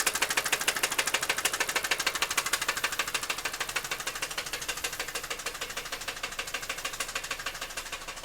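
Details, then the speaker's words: Car with 235,252 miles: sharp, very regular ticking knock about three times a second, slowly fading; persisted after the knock sensor was replaced, and a shop diagnosed it as internal engine damage. "also replace the lock sensor which didn't have anything to do with this knocking and the noise still hasn't gone away so I took it in got it checked out and it's internal"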